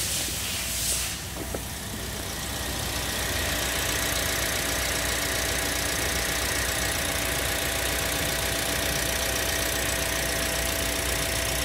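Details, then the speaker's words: Toyota Sienta after water pump replacement, listening at the front of the engine: steady, even idle with a smooth hum and no rough grinding or rattle; the earlier rough noise came from a worn water pump bearing, not the engine. "Muara mesin kembali normal ya menjadi halus lagi jadi penyebabnya adalah dari water pump nya ya"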